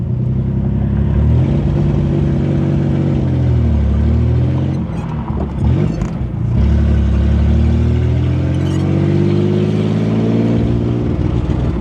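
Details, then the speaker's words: 1964 Chevrolet Corvair barn find, warmed up on first drive, waiting to leave gas station: idles and pulls away fairly quietly with smooth low drone and faint puffing despite known exhaust leaks; exhaust leak. "I'm just waiting to exit the gas station right now, and you can hear the car is actually pretty quiet now, which is surprising with all those exhaust leaks. It's not obnoxious or anything."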